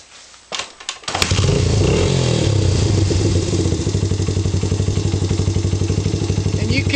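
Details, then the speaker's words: Honda XR80/CRF80/XR100/CRF100 single, warm idle after kickstart: light rapid timing chain slap over each beat from a slightly slack cam chain; fix is tensioner adjustment with engine running, loosening bolt and turning screw back to where it just slaps, too tight whines. "here some of the little bit of timing chain slap so all you do is you loosen this pull then you turn this screw more slab and if you go too tight it'll whine"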